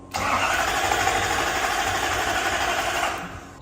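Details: Toyota Soarer SC400 1UZ-FE V8: starter spins steadily about three seconds, no firing; spark confirmed at every plug, fuel pump engaging, brake cleaner didn't help; cranks no-start before distributor cap replacement.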